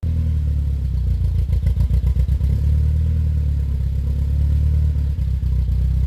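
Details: VW Golf GTI Mk2 16v first start after about three years, still being tuned, not yet warm: steady idle with a run of uneven dips in the beat; intermittent misfire that comes and goes.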